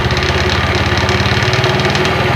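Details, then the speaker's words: Yamaha Mio Sporty scooter: rough rapid rattle from the CVT at idle and low throttle, gone at high throttle; caused by a badly worn front pulley roller housing and bushing with excess play. "oke suaranya kalau di gas tinggi hilang kalau gas awal kecil itu bunyi"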